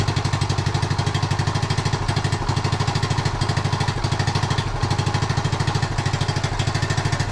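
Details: 1976 Honda Z50J1 Monkey, new possibly untuned carb, warming up: small single thumping at about three beats a second but uneven, missing and stumbling; rough, unsteady idle.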